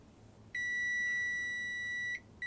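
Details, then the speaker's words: PlayStation 2 Slim after a bench power supply over-volted it and blew fuses, powered from the bench supply: meter gives a solid unbroken beep; supply draws full current, indicating a short on the main power rail. "Right, it's taken 500, it's a short, there's a short somewhere in there. It's taken the full 500 amps. So there must be something shorting on the board."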